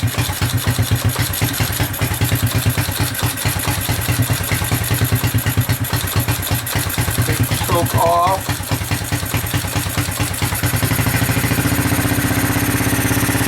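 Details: Honda 200SX field find on carburetor with pressurized external gas tank, choke on, in neutral: quick even putter with evenly spaced firing pulses, smoothing near the end; normal healthy single-cylinder idle, sounds really good.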